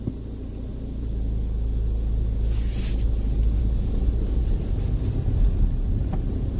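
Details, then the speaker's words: Opel Meriva B pulling away from standstill with air recirculation switched on: only low road and engine rumble, no squeak from the center console behind the radio; dashboard quiet, squeak linked to the recirculation system. "the sound has completely gone away so let me just drive around in a circle I'm breaking now absolutely nothing"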